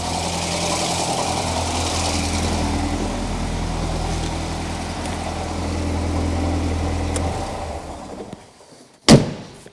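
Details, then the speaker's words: Alfa Romeo 1900 Super that had been hard to start, after checking possibly dirty ignition points: smooth, even idle holding steady for several seconds, sounding happier, before shutdown and a click; normal idle. "that's all right sounds a bit happier there doesn't it oh that's all right"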